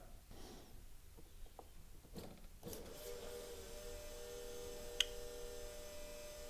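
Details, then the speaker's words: 42-year-old BMW E24 635 CSi that will not start, fuel pump run by bridging relay pins 30 and 37: steady electric hum with faint whir and fuel audibly flowing through the rail. The pump works normally; the ignition showed no spark. "you can hear the pump running and also you can hear the fuel flowing through the fuel rail so we have at least a running pump"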